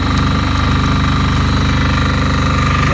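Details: Fermont MEP-831A military 3 kW 60 Hz single-phase diesel generator, built 2001, rebuilt 2010, 2.2 hours, new oil and fuel, just started after preheat: steady, even diesel chug at a firm low beat, no knocks or misses; normal running.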